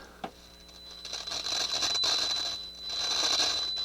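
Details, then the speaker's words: Nakamichi CR-1A cassette deck: scratchy crackling bursts over a faint steady hiss come and go as the rusty balance potentiometer is turned, a corroded balance pot to be removed and cleaned. "pretty pretty rusty balance pot is just terrible so yeah it's it is not good"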